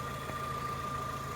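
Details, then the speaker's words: Fiat Grande Punto with a fresh MOT at idle; steady, even, smooth low hum with no knocks, ticks or misses; it ticks over nicely, though the clutch feels unsmooth when cold. "now it's done you can hear it ticking over behind me um it ticks over nicely"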